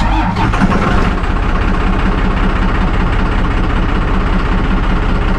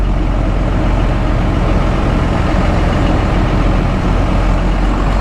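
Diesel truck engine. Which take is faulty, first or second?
first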